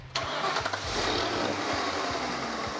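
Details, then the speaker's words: Lincoln Panther-platform car after repair verification start: engine settles into even idle with steady whirring hiss from belt drive; idler pulley noise previously hidden by fan. "the fan was hiding the noise for the pulley that's just great"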